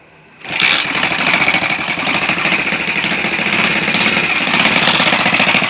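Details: Alpha moped after new piston kit and cylinder head, timing marks set; idles and pulls normally but small engine runs with harsh fast hammering clatter over exhaust note; loud knock, cause unknown.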